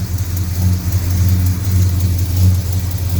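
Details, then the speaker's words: Mopar V8 idling after new header gaskets and a welded header repair, no H-pipe or X-pipe: deep, even burble with no ticking or puffing. The exhaust is sealed and much quieter than before. "nothing blowing down there at all i think i might have something trapping away somewhere i'm not quite sure where that weld is definitely not blowing and that is so much quieter that's unbelievable"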